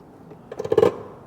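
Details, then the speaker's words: Mercedes W140 S-Class, ignition on, locking with the key remote: after a quiet pause, a half-second burst of rapid rattly clicking from the fuel flap solenoid. It is noisier than it should be. "I don't think Matt's going to notice the fuel flap solenoid being quieter."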